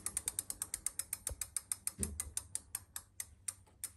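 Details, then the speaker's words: Avid BB5 mechanical disc brake on a bike, wheel spun by hand while adjusting the moving-side pad: only even freewheel ticking as the wheel coasts, no scraping or hiss from the disc; normal, no brake rub. "pas de bruits de frottement je peux continuer à dévisser"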